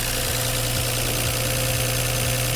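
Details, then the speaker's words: 1988 Toyota Land Cruiser FJ62 idling after replacing the rusted, holed old exhaust with a new stainless system; steady, even idle with deep smooth exhaust note, no puffing or ticking, sounding healthy. "you guys heard the note of the old exhaust and this one's just so much power um like everything about it better"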